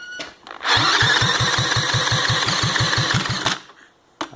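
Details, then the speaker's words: Honda ATC110 under restoration, new carburetor and bearings, started on fuel left in bowl with tank off, spun by drill: small single catches quickly and runs with even popping beats, about five a second; starts and runs. "hear it that's her running I'm not going to rev it up through the blows smoke everywhere but uh but uh it runs"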